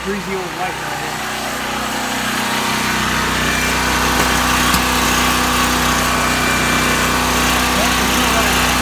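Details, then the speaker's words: New Powerhorse 4000 generator on its first start: after a few pulls the engine picks up and holds a steady, even, high-pitched drone with no surging; it is running normally. "it seems like a pretty solid unit we'll put it to the test this weekend"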